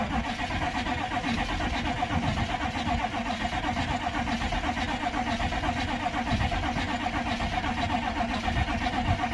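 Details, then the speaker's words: Crusty Chevy C20 crew cab diesel, cranking on weak batteries (about 8 volts) with glow plugs and starting fluid, little fuel in tank: laboured cranking about four beats a second, never catches. Slow cranking from weak batteries. "yeah that's definitely not enough batteries but maybe we can crank it long enough to uh pull some fuel towards the motor at least 8 volt cranking that's enough that's good for it you can hear it kind of shuttering that's the spicy air doing its job it just doesn't have any fuel to ignite"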